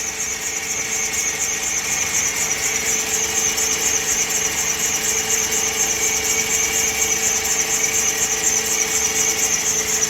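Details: PT Cruiser with a newly installed engine, temperature gauge not reaching normal: constant piercing high squeal steady in pitch over a smooth idle; source not yet pinned down.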